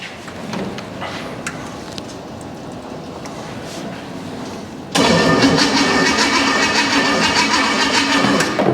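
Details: Junkyard 305 V8 with no exhaust, premium fuel: quiet, then loud steady churning cranking with no firing; it turns over but won't catch, and spark is then found lost. Cause not confirmed.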